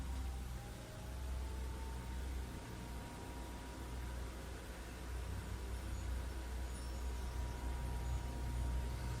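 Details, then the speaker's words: Chinese diesel heater with rotary controller on a bench test, battery about 12.8 V: after pressing start, faint steady fan whir over a low rumble, pitch creeping up slightly as it spins up before the fuel pump clicks; normal fan startup. "There's a startup routine. Now the first thing you'll hear is the fan start."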